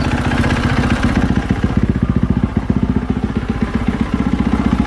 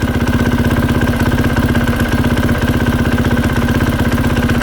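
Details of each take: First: 2020 KTM 450SXF after replacing worn clutch dampeners, which had caused knocking and tapping: even single-cylinder idle with no clunks or taps as the clutch lever is pulled in and let out; normal clutch idle. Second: 2020 KTM 450 SX-F at idle: light, regular tick-tick about four a second from the clutch area that stops when the clutch lever is pulled in; worn clutch hub rubber dampers, later replaced.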